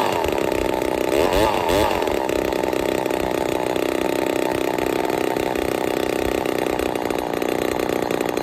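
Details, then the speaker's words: Ported Poulan 245A chainsaw with bow bar on first start: sharp, high-pitched buzz with revs hanging and sounding thin and starved; running a little lean at idle/low jet, still needs carb tuning. "still need to do some tuning but uh she's a little lean you hear it starving just a touch"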